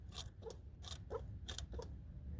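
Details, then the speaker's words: Mk4 TDI turbo: six or seven gritty crunches about every half second as the actuator linkage is worked by hand; the vanes feel okay, and the owner suspects the actuator valve is dead, punctured or full of rust, not confirmed. "so I and you hear that noise I think that this valve here this actuator I think this is dead or punctured or something"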